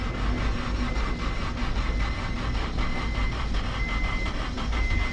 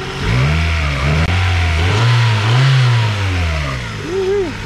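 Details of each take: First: 1997-2001 Honda CR-V with replacement engine, crank spinning the cams, second attempt with throttle floored: fast, even starter chugging goes on and on before firing; long cranking, owner suspects it was flooded, perhaps a leaking injector. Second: 1997-2001 Honda CR-V with newly replaced engine, no exhaust or catalytic converter, no check engine lights: loud open-pipe engine rising and falling through several clean revs, no misfire, knock or shake; normal revving.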